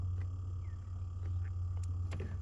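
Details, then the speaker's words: Steady low electric buzz from a Gen2 Toyota Prius brake accumulator pump building pressure after brake actuator (ABS) replacement, heard while the pedal is held with a bleeder cracked open during brake bleeding; normal. "that's the accumulator running building pressure when you have your bleeder valve on there and cracked open you can have someone push this and hold this until the buzzing starts"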